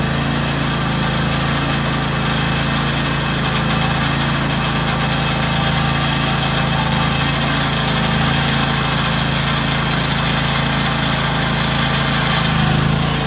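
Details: 2003 John Deere X485 garden tractor, 671 hours, 25 hp liquid-cooled Kawasaki EFI engine, recently serviced: steady, even idle with a smooth low thrum, no knocks or misses; runs as it should.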